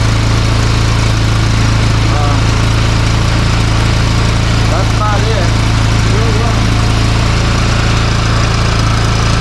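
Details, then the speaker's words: Tao Tao ATV after battery charged with solar charger, old battery lacking cranking amps and due for replacement: steady, even single-cylinder idle with no misses or knocks; starts and runs fine. "yep but at least she starts and runs then now again"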